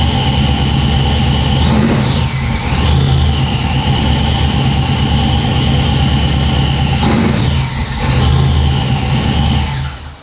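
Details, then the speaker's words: Truck running on dyno after a loose throttle body gasket was fixed; high whine rising and falling with speed, absent for a split second at startup until charge pressure built; transmission suspected, not the starter. "I think it's in the transmission. Because I heard it when you started it up. For a split second, it didn't make a noise until some charge pressure came up, and then it started whining."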